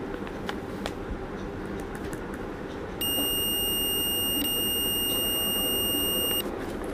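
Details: Multimeter continuity test on a 775 DC motor armature, probes across commutator segments: a steady high beep holds unbroken about three seconds over light handling noise, showing the armature coil is intact with no break.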